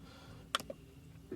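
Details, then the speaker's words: EVAP vent solenoid commanded on and off via scanner actuator test with key on, clicking crisply over a faint hum, working normally, during P0442 EVAP leak diagnosis. "turned it on bending on I hear it clicking so you can do it this way if you're lucky"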